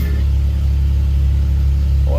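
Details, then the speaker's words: 2011 Jeep Wrangler JK, almost 130,000 miles, idling in the shop right after an oil change: low even hum with a steady beat, no ticks, knocks or misses; oil pressure good, no warning lights; normal idle. "pressure looks good okay so no warning lights telling me you have low oil pressure so that all looks good"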